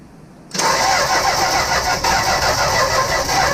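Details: 1965 Plymouth Barracuda that sat for years, during ignition wiring checks: starter spins the engine steadily and fairly quickly for three seconds with no cylinder catching; cranks without firing, no spark.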